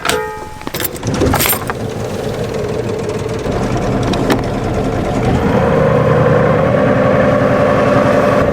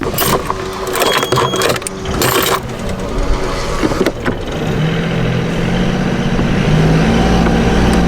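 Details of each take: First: Marine boat gearbox remounted on engine after cone (clutch) repair, shaft connected: engine runs steady, then constant mid-pitched whine joins after a few seconds; strange gearbox noise persists, cause unknown. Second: Boat engine with the gearbox isolated, propeller shaft disconnected, after earlier cone (clutch) repair: steady even hum with faint rising whine, unlike the strange noise heard with the shaft connected; gearbox possibly fine running unloaded, not confirmed.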